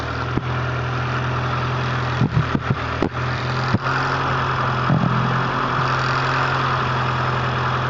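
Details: Honda CRX with B18A1 block and B1 head idling with a faint constant whine over the hum after timing belt re-tensioned a third time; owner suspected belt tension, cause unconfirmed.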